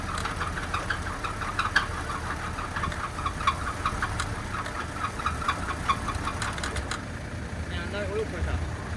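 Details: Alloytec V6 that sat for 9 years, after a home partial rebuild, failing after a few hours of driving. It idles rough with a sharp, regular tick-knock about three a second, and the gauge reads only 28 kPa oil pressure.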